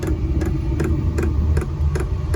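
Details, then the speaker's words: Newly installed diesel air heater in an MCI bus RV conversion, first start-up: sharp regular pump ticks about two and a half per second over low burner rumble, hose growling; bubbles still in the fuel line. Fuel pump ticking with air in line. "Might take off here. We still got bubbles and stuff in the line. Maybe that's too."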